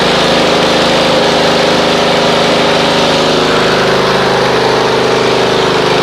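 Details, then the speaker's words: Snapper RER Comet mower on a dead cold start, choke then off, after running Mechanic in a Bottle through the fuel: even, steady idle with a smooth regular beat, no misses; normal idle. "If you guys remember before, it was going and about the maybe 2 to 2.5 hour mark with running that mechanic in a bottle through there, it was just smooth as glass. Like, that's the way it's supposed to run."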